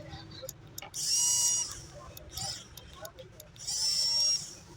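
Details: Rechargeable mini portable juicer blender after repair (previously would not switch on; charging port fixed and reassembled): two short bursts of high, steady motor whine that start and stop cleanly. Normal running.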